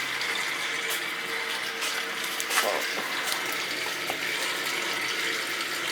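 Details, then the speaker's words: Old boiler heating system drained to replace a failed expansion tank whose diaphragm had zero pressure, now refilled: a continuous rushing hiss of water with gurgles and clicks as both zones are purged of air; normal purge. "it's gonna do the little zone through both zones and we'll be good to go well no because we're purging it again because i had to drain it out to change the tank right"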